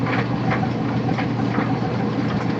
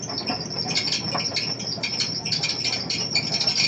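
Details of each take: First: Old Kenmore Series 70 clothes dryer after fixing idler roller pin and re-routing belt around motor pulley between brackets: steady low drum rumble, soft tumbling, squeak gone; running quietly. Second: Old Kenmore Series 70 clothes dryer running: shrill bird-like chirps about three a second over drum rumble; idler roller pin spinning instead of the roller turning on it, causing the squeak.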